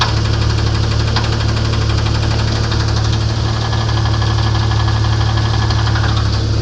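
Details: Internal engine knock on a 1994 Grand, 4-litre engine, at idle: hard, regular knock about three times a second over the idle; cause not yet pinned down.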